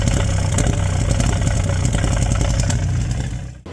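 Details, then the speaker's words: Lotus Esprit V8 misfire before repair: lumpy, uneven V8 idle with irregular stumbles about four a second; a bad misfire. "And slightly less of a concern to me, here's what the misfire sounds like."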